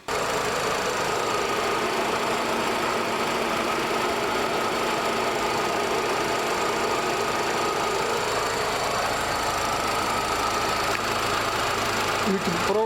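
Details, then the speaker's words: VW Golf Mk3 after head gasket and timing belt replacement, previously overheating, fan wires reconnected: even idle with a constant airy whoosh and steady mid tone as the electric radiator fan runs and cycles; normal cooling fan operation. "hear the fun working the car is finally working my repairs good the trick and now we have a working fan so hopefully the car is going to be fin once again"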